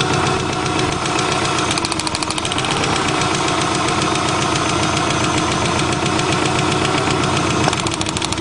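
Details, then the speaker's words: 1990 Subaru Legacy idling after first start following two years' storage: uneven, lumpy, loping idle, sounds like three cylinders; unplugging plug wires one at a time showed all cylinders working, so cause not yet found. "it sounds like it's on three cylinders for some reason doesn't sound right"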